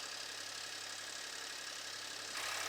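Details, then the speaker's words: VW Polo at raised cold-start idle with the intake removed: steady, even intake hiss with no knocks or misses, rising slightly near the end; normal cold start idle. "We'll hear how it sounds without an intake. I just want to wait for the cold start to finish."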